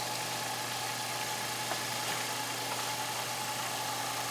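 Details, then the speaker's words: Master Spa, about 2002–2003, Balboa MAS560 board on 208–209 V: after plugging in the transformer the system fires up. The circulation pump runs with an even, steady hum and no knocks or grinding. "And you can see it did fire up and run. I can reach up here, hit my temp up button, and it's going to come on and run."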